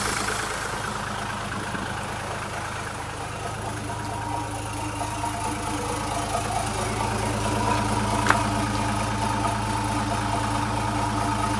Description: After installing the Malaysian ip and injectors, the lumwagen is running sawheet!